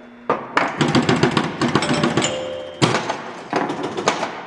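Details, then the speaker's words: 1973 Gottlieb Jumpin Jack EM pinball after repair of a reset problem: stepper scans the drop targets ten times at ball loss, rapid machine-gun bursts of clicks and relay clunks with pauses, then targets reset; normal reset cycle. "if i put down these four and then when i lose the ball you'll hear it scan through that 10 times on that on the uh looking for the down targets did you hear it it sounds like a machine gun when it goes off"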